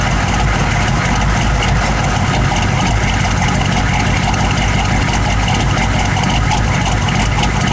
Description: Whats causing rough idle.